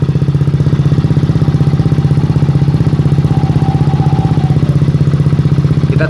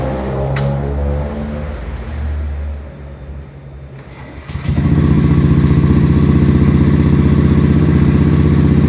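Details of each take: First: Honda Beat FI scooter, about one year old, that idled poorly and lacked pull; after turning the idle screw three turns it now holds a steady, even idle without hunting, stumbling or dying. Normal idle after adjustment. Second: Honda Beat FI fuel-injected scooter, about a year old, weak pulling and abnormal idle: starts at high idle, dies as revs drop toward idle, then restarts to steady fast idle about four beats a second; cause unknown.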